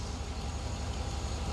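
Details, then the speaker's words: 2004 Chevy Silverado 6.0 V8 that had a ticking/clicking noise, idling about two minutes after an engine flush with fresh oil and filter. Smooth, even low rumble with no ticking or clicking; normal idle. "quiet as a mouse I love it it works about two minutes stop clicking hey stop I mean stuff"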